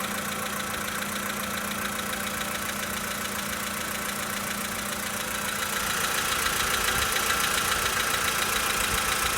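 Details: 2013 VW Polo Sedan Sochi Edition, 65,000 km, cold start idle: fast even light ticking knock about three to four a second over the engine hum; engine knock when cold, cause unknown.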